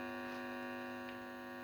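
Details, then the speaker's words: Heathkit T-3 signal tracer at maximum gain: steady low mains hum with even overtones from the ungrounded probe. The hum drops when the metal is touched by hand and disappears once the ground clip is connected. "hum is reduced a bit, and of course when I touch the ground, the hum is totally off."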